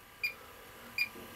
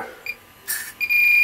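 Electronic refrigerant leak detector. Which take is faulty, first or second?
second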